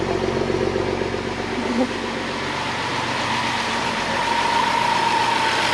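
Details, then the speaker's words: 2011 BMW X5 N55 3.0 twin-turbo, 80,000 miles, first start after the seized engine was freed: smooth, steady, even idle with no knocks, ticks or rattles; sounds healthy. "no way and it sounds good too dude it sounds good i think it sounds good right man"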